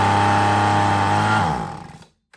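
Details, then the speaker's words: Husqvarna 125B handheld leaf blower, sat for years with old fuel and a blown purge bulb, run at wide-open throttle with no air filter: a smooth, steady high buzz for about 1.5 seconds, then it winds down. It sounds okay; normal running. "It didn't make any sense to me, so good. We know it will run. It sounds okay."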